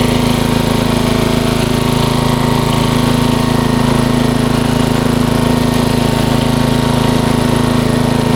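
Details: 1994 Troy-Bilt 34044 33-inch mulching walk-behind mower with Briggs & Stratton engine: a steady run with an even, rapid clatter over the engine note because the mistimed twin blades clash as they come around each other.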